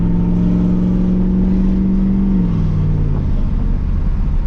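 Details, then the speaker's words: Camaro Z28 V8 on a less aggressive earlier retune, IAC not hooked up, pulling through a gear change on a road drive after a cold start: deep, even rumble with no popping or misfire; smooth running after the tune fix. "Smooth as can be. It was all in the tune, all in the software."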